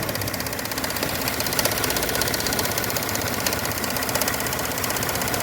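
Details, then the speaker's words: 2021 Chevrolet Spin (GM line like Onix/Prisma) at idle: fast, light ticking about four per second like a lifter tap, actually the canister purge valve clattering; faulty canister purge valve ticking, mistaken for engine noise. "Sabe o que que é esse barulho? Válvula do canister aqui, ó. Essa válvula aqui, ó."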